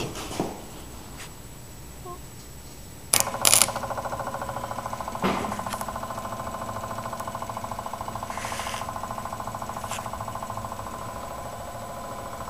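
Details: Onan generator with spark but suspected fuel problem, after carburetor cleaned and reassembled, power applied by jumping pin 9 to pin 5: a couple of clunks, then fast even ticking near three clicks a second; electric fuel pump running and priming.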